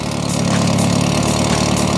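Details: Volkswagen Saveiro turbo idling smoothly with an even beat and no ticking or valve clatter, after sitting almost two days; the valve noise heard earlier after starting had stopped. Normal idle.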